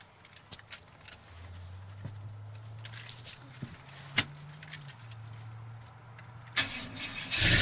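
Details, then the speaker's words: 1986 Chevy C10 with 358ci ATK crate engine, sitting a long time, cold with no fuel in the carburetor: keys rattle, long low starter drone, near-catch at the end; hard cold start after pumping the gas. "oh there you go oh almost gonna hit the gas a little bit all right turn the key again it's just cold"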